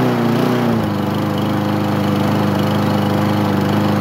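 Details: Craftsman mower, first start after 9 months of storage: single-cylinder engine settles into a steady, even run after a short rough catch, with no misses or knocks; runs normally.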